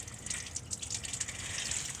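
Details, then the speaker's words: Pontiac Aztek overheating, with the overflow tank filled: hissy, steady splashing gush of coolant, no engine note, from the hose to the heater core snapped off its plastic fitting underneath; coolant leak. "all right so despite the overflow tank being filled the heater itself adding some water into the system and I could hear something just pissing out back there look at that"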